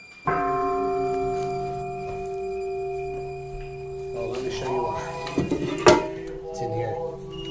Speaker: listen closely the Seal's gone bad you can buy one for like three bucks four bucks